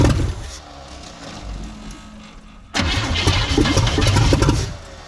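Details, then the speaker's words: 1979 Chevrolet C10 with a 350, first start after years sitting: long cranking, then it catches abruptly and runs ragged before settling lower. Hard starting; flooding suspected. "flooded on me just just push it all the way to the floor"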